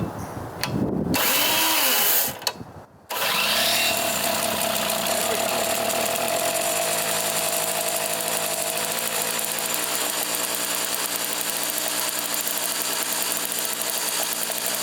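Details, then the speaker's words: Craftsman 3hp 21-inch snowblower, Tecumseh two-stroke, after carb rebuild and service, restarted by pull after cooling: settles into steady, high, even buzz with no misses or surging; running real good. "yeah she running real good Fellas let's bring it in and finish it"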